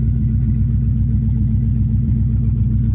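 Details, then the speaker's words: 2000 Mustang GT with a 4.6 two-valve engine believed to come from a Crown Vic, with new plugs, coils and fluids. After the unplugged fuel pump was reconnected, it now idles with a smooth, even burble and no knocks, ticks or misfires. "listen to that thing fellas that thing just purrs man wow"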